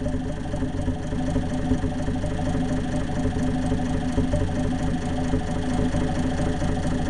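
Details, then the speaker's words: Undertiller engine with new open exhaust stack, no muffler, lifters not yet adjusted: loud, fast, even popping idle, deep rumble, faint ticking; runs steady but needs tuning. "okay there she is that's not too bad still ain't got the lifters adjusted yet timing a little bit"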